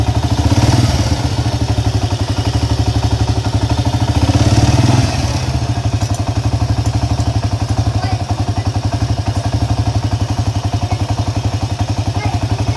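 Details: Honda EX5 Dream engine: harsh, loud thumping at about four knocks a second rising with a brief rev then settling at idle; suspected loose magneto nut, clutch nut or timing screws, not confirmed.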